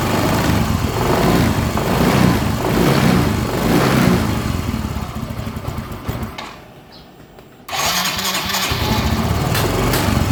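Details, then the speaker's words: Yamaha Mio M3 125 scooter with a new spark plug, plug cap and coil: it runs rough, sags and nearly dies before picking up. Unstable idle with stalling; fuel pump pressure is being watched. "Oke ini kan motor udah hidup Ya cuma enggak bisa langsam nah ini enggak bisa langsam inik Dek de dek Yes mati ya"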